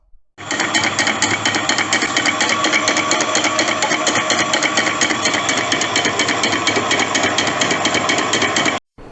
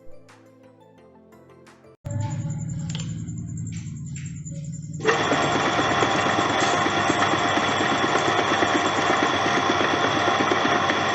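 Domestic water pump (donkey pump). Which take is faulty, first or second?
first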